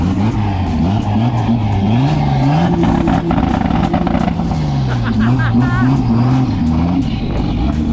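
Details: Fox body race car whose automatic gearbox was hurt at track testing: strong, clean revs rising and falling smoothly with a deep even exhaust note, no knocks or misses; engine healthy.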